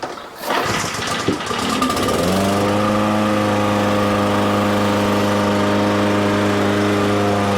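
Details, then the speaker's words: Toro commercial mower, engine previously replaced, wheel drive grinding repaired (unlubricated metal gears): after a rough start settles to a steady even idle, no grinding or hang-up like before; traction drive healthy, brake worn. "but it's definitely not getting hung up like it was before or making grinding noise like it was before"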